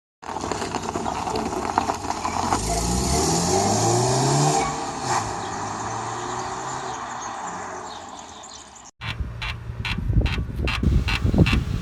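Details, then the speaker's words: 2006 BMW 5 Series E60 3.0 diesel xDrive, 231 HP: car pulling away, then a rapid run of sharp squeaks and creaks from the front suspension, a dry ball joint; the fix is oil or white grease, not WD-40. "Hello guys, in this video I will show you how to fix this squeaking sound of ball joints."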